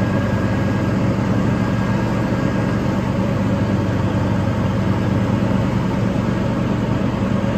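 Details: Toro TimeCutter 5000 zero-turn mower after maintenance with the deck refitted, blades spinning while mulching leaves: steady, even engine drone, no surging, knocking or misfire; runs smoothly under load.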